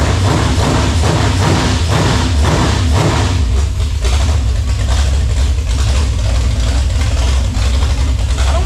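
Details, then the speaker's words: Freshly built 454 big-block for a '72 K5 Blazer, run on a homemade engine stand before install: deep steady lumpy rumble, no knocks or ticks; little blow-by, rings seated, running healthy. "nothing sounds bad i mean obviously we did a good job with the lifters and everything so there's not a whole lot of blow by but the rings also have seated in"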